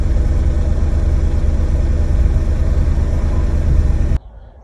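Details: Corsa B with 1.0 16-valve gasoline engine, after a faulty fuel pump relay was found and replaced: a steady, even idle with a smooth low rumble and no stumble. Normal idle.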